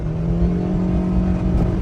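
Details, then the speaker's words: 2011 Suzuki Swift 1.2 petrol driving in second gear, pedal down: engine revs to the redline and holds a steady drone while the car barely gains speed; completely worn, slipping clutch needing replacement. "I'm not sure if you can hear the engine revving to the max, but isn't moving as it should, and it's not pulling."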